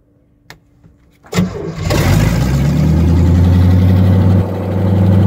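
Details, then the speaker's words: Car with solid engine mounts and HEI ignition, started from inside in second gear with no exhaust fitted: brief crank then a loud, raw, deep throbbing idle held a bit high. "I'm going to start it one more time in gear and see what it sounds like. I'm going to try starting it in second. I think I unhooked it. Really need to get an exhaust, but..."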